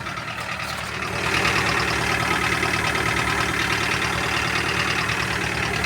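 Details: Toyota Carina 1.8 engine: rapid, fairly even tapping about three per second over a rough idle; internal engine knock, cause not yet pinned down.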